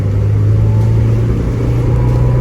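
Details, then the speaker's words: 1987 Porsche 924S after wheel bearing replacement, on a short drive in rain: only a steady low road and drivetrain hum at speed, no growl or whirr rising with speed; the old bearing noise is gone, bearing now healthy. "i'm just going to pump them up a little bit i don't hear the bearing noise anymore"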